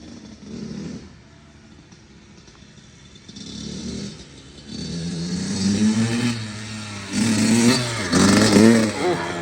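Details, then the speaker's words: Kawasaki KX85 two-stroke dirt bike after water pump and case seals and gaskets were replaced to stop leaks; started on first kick, briefly warmed, ridden through the gears with crisp clean revs and no bogging; runs strong, sounds very different. "Beautiful. First kick. Nice. Gotta let it warm up for a second and then we can give it a shot. Sounds way different now."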